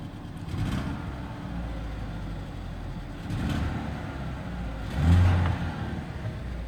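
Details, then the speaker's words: 2013 Ford Escape 1.6 L turbo gasoline direct injection engine running rough and choppy with stumbling revs and raspy puff; misfire plus exhaust/muffler leak. "العربية طبعا فيها مس فاير، ممكن نشوفه او نسمعه بمعنى اصح. سامعين التقطيعة دي؟ وفي طبعا اكزوست ليك، مفلر ليك كمان."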